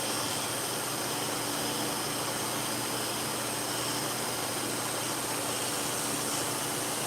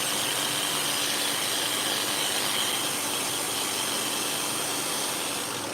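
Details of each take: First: Dog clipper blade after cleaning, sharpening and reassembly, run-tested to set the two blades together: even, steady buzzing hum under a hiss of shop fans, with no rattle or grinding; clipper running normally. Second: Freshly cleaned, sharpened and reassembled dog-grooming clipper blade being run in to set the blades together after testing; steady high-pitched buzzing chatter with a rough rattly edge over shop fan noise, running noisier than normal, cause unknown, needs fixing.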